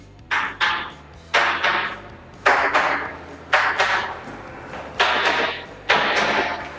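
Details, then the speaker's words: Tap test on a new apartment's floor tiles with a screwdriver handle during handover inspection: crisp, bright paired taps with no dull hollow thud anywhere, so the tiles are well bonded to the subfloor. "O som tá bem aderido, você não vê nenhum som oco."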